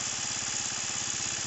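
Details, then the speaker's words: GY6-style 150cc Roketa scooter carburetor, electric choke disconnected: quick single-cylinder putter climbing in speed as the mixture screw is opened after backfiring when turned the wrong way; idle rising. "now we're going to go the right way and which is opening well i'm gonna open it just to see what happens hear how it's idling up"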